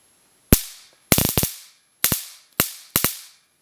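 Short bursts of sharp, rapid snapping cracks, each lasting under half a second and repeated several times: the arc is firing properly.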